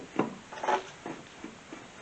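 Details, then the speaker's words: 1969 Plymouth Barracuda during Wilwood brake and hub install, wheel turned slowly by hand: irregular scraping catches about every half second; something rubbing on brake rotor, possibly after bearing adjustment, cause unidentified. "It's catching something in there."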